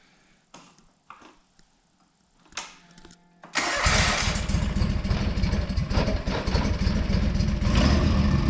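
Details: John Deere 425 mower after cleaning and repairs, new fuel line and coolant hose, first start in months, second try after removing a left-on cap: a few clicks and knocks, then catches and settles to steady even idle, no misses; normal.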